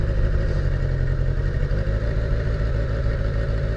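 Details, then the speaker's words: Abandoned Kawasaki GPz550 four-cylinder motorcycle, thought to be a 1981, running with untouched carburetors: a steady, even low burble with no misses or knocks over four seconds, seemingly running on all four cylinders, though probably low on gas. "considering I haven't done jack [ __ ] to those carburetors it's actually running pretty good I think it's running on all four too"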